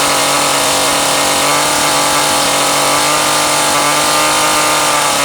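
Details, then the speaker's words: McCulloch Pro Mac 700 chainsaw after new fuel hose and fuel filter (carb not rebuilt): steady high-pitched two-stroke buzz at even speed, no stumbling or surging; running normally. "okay so this Critter is running at least I ran it this morning"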